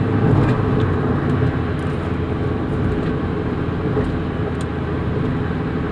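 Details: 2001 Hyundai Accent on a test drive after replacing the noisy front wheel bearing. Road rush and engine hum carry through left and right turns and straight driving with no growl or rumble building in corners; the bearings sound healthy.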